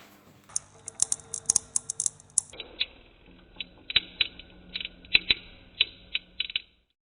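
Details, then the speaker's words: HP Vectra i386 25 MHz power supply: irregular sharp snaps and crackles with no burning or leaking-capacitor smell; cause unknown, risk of it blowing. "Voilà, pour que vous entendez bien qu'est-ce qui grésille. Bon, par contre, je prends le risque que ça explose à tout moment."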